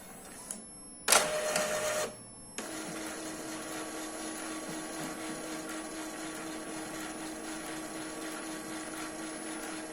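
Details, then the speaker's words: Epson L3150 printer after freeing a jammed sheet that caused general error with all lights flashing: short carriage whir, pause, then even steady motor hum; normal head-cleaning cycle with belt noise, printing fixed (temporary fix). "fazendo uma limpeza do cabeçote esse barulho é por causa da correia tudo bonitinho vamos tirar outra cópia"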